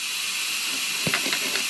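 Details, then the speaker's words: Compressed air pressure-tested Nissan SR20DET intake (S13/180SX/240SX) after intake plenum gasket replacement: steady sharp hiss of air escaping where the throttle position sensor pin has come out of its rubber grommet on the throttle body; owner unsure whether the throttle body is damaged. "all right guys i've got the air on and i've pinpointed i've got a bit of a leak coming up from the throttle position sensor down here which you probably can't see down there"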